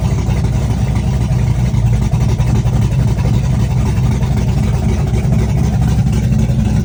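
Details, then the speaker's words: Chevrolet S-10 with a big cam on open headers, cold start with Holley red electric fuel pump: deep, loping, rowdy V8 idle, uneven chop about four times a second; cam exhaust lift 480/488, advertised duration about 297; normal lumpy cam idle. "And she sounds pretty rowdy. And the exhaust lift of this cam's a 480, 488."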